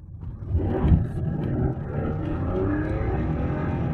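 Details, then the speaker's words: BMW E46 330Ci six-cylinder on first test drive after repairs: engine note climbs smoothly and evenly with throttle, no misfire, rattle or whine; pulls cleanly. "all right sounds good it sounds really good well it's not bad"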